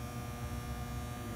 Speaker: 所以，如果一个变压器它有一些 humming， 就是嗡嗡的声音，这本身是正常的，没有什么问题。